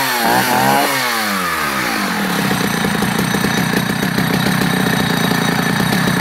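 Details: Vintage Husqvarna B65 chainsaw started after three weeks unused: revs high, drops back smoothly and settles, once warming, into a steady, even two-stroke idle with crisp regular firing; runs normally.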